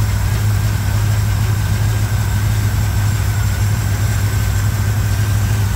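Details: 1987 Chevrolet K10 4x4 truck, first run after blown head gasket replacement, warming up: deep, even V8 rumble at idle, steady level with no misses, ticks or knocks; normal healthy idle.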